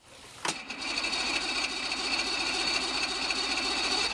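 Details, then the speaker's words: 1985 Mercury two-stroke 50 hp outboard on ear muffs, quick start: sharp start then hissy whirring run with light quick clicks about four a second, the electric choke cycling normally during starting. "I'm going to give it a quick start. There's an electric choke if you can hear it"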